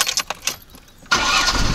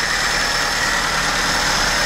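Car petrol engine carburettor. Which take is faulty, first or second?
second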